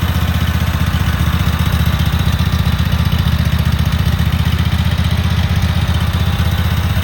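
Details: Cub Cadet Super 2284 lawn tractor with electrical issues, very dirty, missing bolts, rear cover off. On a test fire the small twin thumps strongly and evenly at about four beats a second with no skips or surging, idling steady and healthy.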